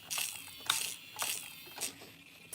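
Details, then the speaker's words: Traxxas Slayer Pro nitro truck, owner reports sluggish acceleration; the throttle servo gives about five sharp, high ratcheting crunches every half second at full swing in reverse while steering is fine. Stripped servo gears, servo dead. "it's making tons of noises oh throttle servo is dead and that is full swing in reverse"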